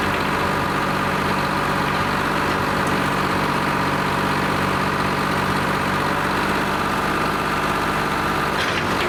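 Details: Lima 34 shovel, just fired up after a round of repairs, before greasing and digging: smooth, even diesel idle with a steady beat and no knocks, misses or hunting; normal, healthy idle.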